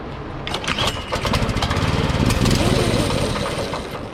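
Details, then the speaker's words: Free go-kart whose single-cylinder engine sat outside for an unknown time, run with the rear jacked up on a hot day: fires up and runs unevenly, surging and stumbling; rough running, and the owner says it needs cleaning out. "All right, well, it runs. Pretty sure the car needs cleaned out, going through, because I have no idea how long this thing's been sitting outside, but it runs."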